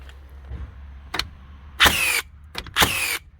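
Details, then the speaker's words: Second-gen Hikoki NR1890DCA cordless first-fix nailer in single-shot mode, driving 50mm nails: two sharp, forceful shots about a second apart, each followed by a short falling motor whir as it resets; firing normally. "Great quality, great power to them, as you can hear whenever this thing's shooting. I know it's only a 50mm nail, but you can hear the force whenever these things drive them."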